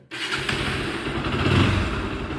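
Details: Bajaj Pulsar NS160 engine after a full rebuild with piston rings, connecting rod and gearbox to cure an engine noise: starts at once and revs cleanly and evenly with no knock or rattle underneath.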